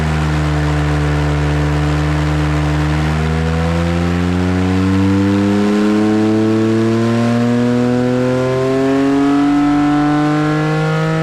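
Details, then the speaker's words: Porsche 997.1 Carrera S M97 engine rebuilt to 4.1L after track-day failure, on engine dyno, final 406.6 hp / 347.6 lb-ft: clean, smooth note climbing steadily to high rpm with no knocks, misses or rattles; healthy pull. "It was like, you know, really awesome to hear it like go up into the high RPM range for the first time, you know, to see it in person."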